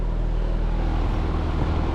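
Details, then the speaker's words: Trane XV heat pump outdoor condenser fan during a control fan test (the homeowner complained of whining). A loud, steady low hum with no whine, rattle or pulsing. Normal condenser fan running. "see what it sounds like that's normal so that's what it should sound like"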